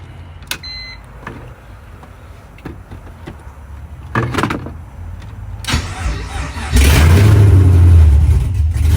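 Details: BMW E46 with a swap being wired, after replacing a blown ignition relay that caused a no-crank no-start: a few clicks and a short window-motor whir, then the engine cranks, catches and settles into a steady, even idle; normal start.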